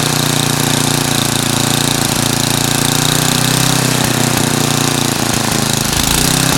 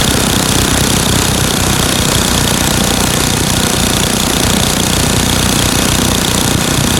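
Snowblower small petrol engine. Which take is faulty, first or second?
first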